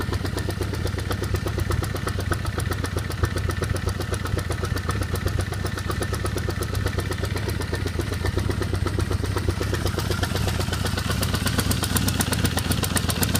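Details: 1978 Honda CB550K four-cylinder idle with rapid, light, somewhat uneven ticking, about four per second. The owner can't tell what the noise is or where it comes from.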